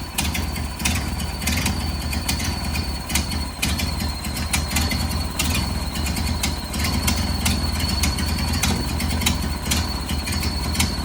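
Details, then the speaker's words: 1929 Ford Model A that has run poorly since a carburetor rebuild: slow, uneven idle with irregular ticking and a faint squeal. The carb gasket is leaking and pulling in air, and the idle changes as it is tightened; the needle valve was likely bottomed out. "Yeah, it's leaking there. You heard it change? >> Yep. It's got to be super tight."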